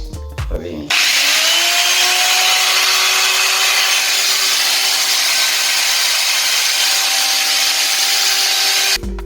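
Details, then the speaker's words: Circular saw with big sparking, weak power, overheating, bad smell, and slowing then stopping after minutes of use: loud, harsh, steady motor howl with a sharp fixed whine and no low end; damaged armature. "Kerusakannya itu apinya besar dan gampang panas, suaranya juga keras"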